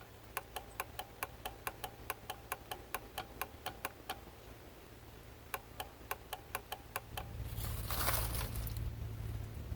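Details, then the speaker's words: Bitter SC 356 fuel injection, ignition on, air-flow meter flap moved by hand: crisp relay clicks about twice a second but no pump hum follows; fuel pump relay engages but the fuel pump isn't running. "as you move the flap you should hear the fuel pump running but here it is not"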